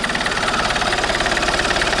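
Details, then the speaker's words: Alfa Romeo 159 1.9 JTDM diesel, first start after fitting a new exchange turbo and adding oil, not revved because the intake pipe was off: even, steady idle clatter with no misses or knocks. Healthy engine. "nope that sounds pretty healthy generally sounds healthy that yeah"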